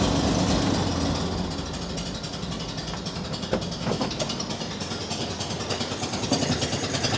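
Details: Chopped, bagged Chevy Corvair after swapping worn carburetors for used replacements, recorded outside on a very cold day: engine idles on its own but lopes unevenly with irregular pulses and stumbles; rough idle, yet an improvement, as it previously wouldn't idle without throttle.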